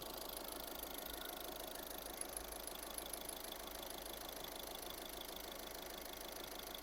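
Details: 2013 VW Caddy diesel with low fuel pressure (P0087), idling about 10 minutes after fuel filter replacement, filter area dry with no leaks: quiet, even idle with a light steady tick and no stumble or hunting; healthy.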